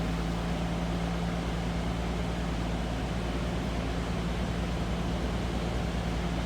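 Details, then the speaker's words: 1975 AMC Matador 4-door sedan inline six-cylinder, idling with hood popped: steady low hum, smooth and even, no knocks or ticks; sounds like a normal, healthy inline six. "Sounds like you'd expect an inline 6-cylinder sound."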